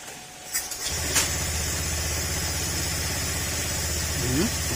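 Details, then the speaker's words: Honda Click 150i scooter reassembled after warranty crankshaft repair, coolant added, airbox not yet refitted so some air hiss; starts after a second and settles into a steady, quiet idle with no bottom-end knock or rattle: normal idle. "tahimik na siya mga sir. Medyo meron kayo narinig na singaw dahil hindi pa natin naibabalik yung airbox niya."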